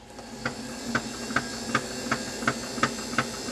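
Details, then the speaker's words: Phono-Trix German reel-to-reel tape recorder, late 1950s or early 1960s, playing: steady mechanical whir with a soft thump nearly three times a second; left in play position, the motor shaft pressed a flat notch into the flywheel's rubber rim. "yeah you hear that D that Thump Thump as it was going it's because on the inside the motor shaft is goes against the rubber on the flywheel"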